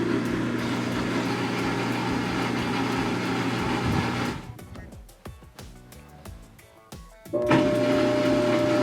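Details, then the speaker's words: Whirlpool Cabrio WTW5840BW0 top-load washer on drain-and-spin: steady low motor hum with no spin, then quiet clicks; motor energized but stalled, basket doesn't move, F7/E1 error with flashing lid lock. "okay so we heard the motor hum there but nothing nothing move"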